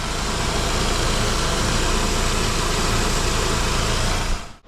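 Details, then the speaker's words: Saab 9-5 Aero after oil leak fix (new crank seal, oil pump O-ring, harmonic balancer) and new alternator with corrected belt: smooth, even low idle hum with no ticks, squeals or belt chirp; now nice and quiet, normal idle. "Well, I'm quite delighted that this is what it's actually supposed to sound like. And I put the alternator on last night, the belt was wrong, so I got a new belt for it today, and now it's nice and quiet."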